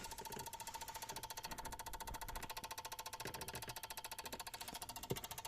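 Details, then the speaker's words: Peugeot 107 / Citroen C1 / Toyota Aygo electric power steering control unit, code C1554, ignition off: fast, even ticking about 3.5 per second, power relay chattering, started after unit was accidentally struck with a ratchet; relay known for burnt contacts. "Теперь слышно, как он дребезжит, хотя раньше этого не было."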